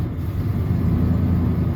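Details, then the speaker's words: 1996 Ford F250 light-duty, 326,000 miles, code P1351 traced to an incorrect ignition control module: rough lumpy idle with dropped beats, whole engine straight up misses, worse when driven; misfire at idle. "it's misfiring at idle yep there it went so it it tries to run and you hear it it just it straight up misses just whole shebang misses and it gets much much worse if you drive it"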